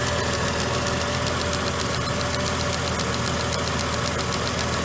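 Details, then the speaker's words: Mercedes ML, engine idling: light rapid ticking about four a second from the purge valve solenoid, cycling normally. "so we're gonna stir it up and you should hear that ticking on your car it's more than likely up here on the front fender somewhere"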